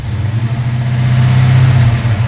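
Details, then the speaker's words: Engine with FiTech EFI controlling ignition timing, distributor locked out, 30-degree base timing target, advance bouncing at idle; short, smooth rev climbing evenly from idle without stumble or misfire, crisp and responsive throttle. "man that's responsive"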